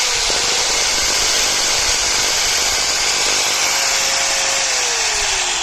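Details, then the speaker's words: 4-inch angle grinder running with a harsh crackling spark hiss over the motor whine; opened up, the armature is damaged, with flame-like sparking visible at the carbon brush area. "ये आपको एक grinder तो हमारा चल रहा है, लेकिन आपको एक आवाज़ सुनाई दे रही होगी स्पार्किंग की, ठीक है। ये आपको मैं खोल के चेक कराता हूँ। ये हमारा जो आर्मेचर है वो डैमेज हो चुका है, ठीक है।"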